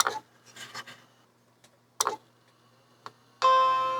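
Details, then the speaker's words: Mac IIsi on the bench with a mixed assortment of RAM, powered off and on: a few clicks and taps, then one clear rich fading bong; normal startup chime, RAM accepted. "okay i just turned it off and on and then it made the bong"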